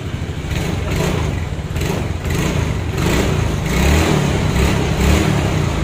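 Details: Yamaha Mio J / Soul GT injected scooter that previously wouldn't start, now firing up: holds an even, lightly revving beat without misses or odd knocks; runs fine.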